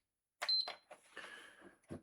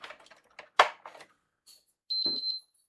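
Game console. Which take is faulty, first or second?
second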